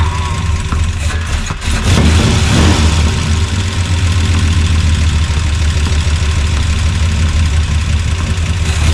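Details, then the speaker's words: Freshly swapped Gen 6 454 big-block V8 with hydraulic roller cam in a 1976 C30 dually, after draining stale fuel and adding fresh gas: deep, steady rumble holding an even idle after a brief stumble. It idles; minor coolant and power-steering leaks noted. "But she idles."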